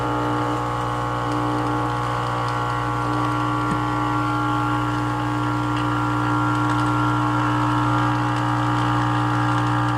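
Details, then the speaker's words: 1946 Hallicrafters S38 early-model radio receiver powered up slowly on reduced voltage around 11 watts: steady, unchanging low hum with buzzy overtones even before full power; abnormal hum, cause not yet found. "Oh, that sound. We're not even powered up all the way."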